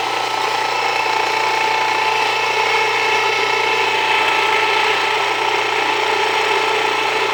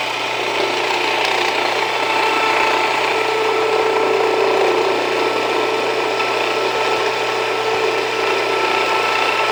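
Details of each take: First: Jiffy Precision Mill, US-made electric steel burr grain grinder, with the burrs set very fine; steady motor whir under dense strained gritty rasp, grain not wanting to go through; setting backed off, coarser two-pass grind suggested; mill labouring on too-fine setting. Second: Jiffy Precision Mill, a simple US-made electric steel burr grain grinder, grinding grain fed slower with the setting backed off slightly; steady even grinding rasp with a light fast ratchety chatter, no labouring or slowing. Normal grinding, and the mill is only warm afterward.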